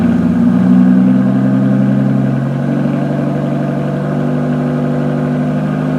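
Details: 2015 Aston Martin Rapide pre-purchase inspection, initial cold start (only about the third start, briefly run before), revved to about 1,500 and 2,000 rpm: smooth even note settling from fast idle, no knocks, ticks or belt squeal; exhaust tone good.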